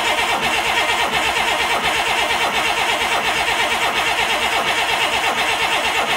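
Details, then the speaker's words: International DT360 diesel on a test stand fires on ether with a fast, harsh, hissy clatter but won't run on diesel fuel; fuel system not yet primed or bled, oil coming from the exhaust, turbo or head gasket suspected. "so DT 360 runs on ether but not diesel fuel and leaks oil question mark"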